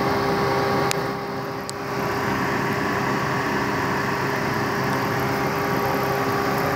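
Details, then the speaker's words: 2003 Honda Foreman 450 after heat removed from sensor: overheat light off, radiator fan still running until sensor cools, steady constant whirring hum, no rubbing or wobble; normal fan operation. "so what I'm gonna do is shut the heat off yep there goes the overheat light went off the fan is still running"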